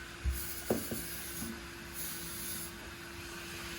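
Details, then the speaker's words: Central vacuum unit running after a whole-house vacuuming, mounted crooked on its bracket and vibrating: steady mid-pitch hum, heavy airy hiss and a few knocks; the motor runs loud and does not sound good, with two pitches heard upstairs. "oh that motor does not sound very good"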